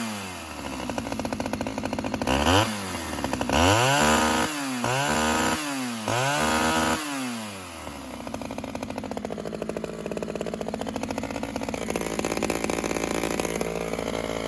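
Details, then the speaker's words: Old Homelite chainsaw with only new pull cord fitted, started on choke then half choke: revs hard in short bursts, then steady slightly burbly idle sounding a little rich; clutch possibly engaging too soon. "a little rich on idle we'll in i choked it and it popped i said let me try it you saw it it's starting it's running great"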